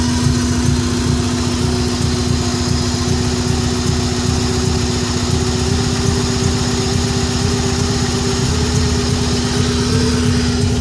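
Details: 1994 Subaru Impreza engine misfiring, steady idle hum with lumpy uneven beat stumbling as a cylinder drops out; owner suspects coil pack or MAF, cause not confirmed.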